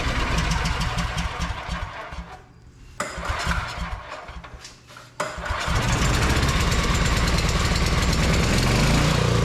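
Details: Vintage Onan Pro6000E generator, 12.5HP Elite 140 OHV engine, long-sitting, fuel system cleaned, still producing zero volts at outlets; cranks, stumbles and dies, then catches and settles into steady even drone; normal running.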